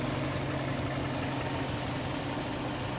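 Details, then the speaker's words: Kia Sportage 2.0 with G4KD engine, first start after repair for piston knock (worn piston skirts found): smooth, even idle with a steady low hum and rustle and no piston knock; normal idle. "поршней не слышно работает Ровно шуршит"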